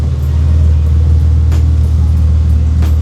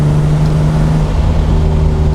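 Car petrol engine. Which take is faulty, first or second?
second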